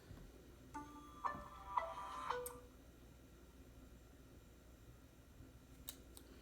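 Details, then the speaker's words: Palermo SmartCam booting after being re-plugged during Android setup: a few soft clicks with short electronic chirps in a quiet room; normal boot-up before the dim yellow network light comes on. "there got your clicking sound and we're waiting for the dim yellow light"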